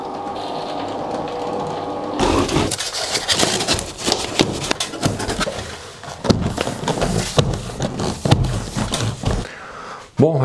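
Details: Electric roller shutter after motor replacement and WD40 in the guides, test run: motor runs about seven seconds with even slat clatter, then stops cleanly; normal operation.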